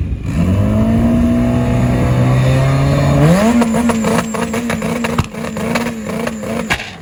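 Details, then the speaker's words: GSR drag car launching at Sacramento Raceway: holds on the two-step rev limiter, then stumbles and pops unevenly off the line before pulling; data log showed it running far too rich at two-step and burnout, bogging and fouling plugs. "it was actually running so rich at the line that it was bogging the engine that was falling out the plugs"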